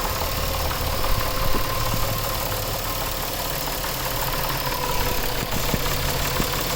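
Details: 2000 Nissan Maxima, 203,000 miles, warm idle: irregular knocking with a rough grinding undertone appearing once warmed up; new alternator and AC compressor fine, owner suspects timing chain or a bad pulley, unconfirmed.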